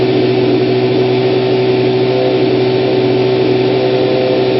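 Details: 1992 Kawasaki ZZR-600 (ZX600D), stock exhaust believed unmodified: steady, even hum held at one constant speed with no knocks, misses or rattles. Runs healthy.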